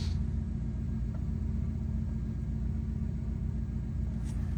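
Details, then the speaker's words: 2011 Ford Crown Victoria 4.6L V8 idling after throttle body cleaning and new spark plugs and ignition coils: low, smooth, even rumble with no misfire or ticking; sounds normal, no check engine light, let it run 15-20 minutes to settle. "Yeah, that sounds normal. So, you want to let your car run for about 15 to 20 minutes like that. Let everything get back to normal so it's not idling rough. Everything sound good though."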